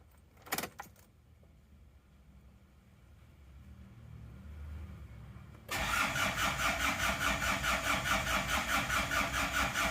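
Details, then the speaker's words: Rebuilt engine (oversized block, sleeved liners), oil and coolant filled, first start attempt: quiet then sluggish heavy cranking about two or three beats a second never catching; battery too weak, needs charging. "kurang kencang kalau akinya kurang kencang omatis hidupnya juga lebih sulit"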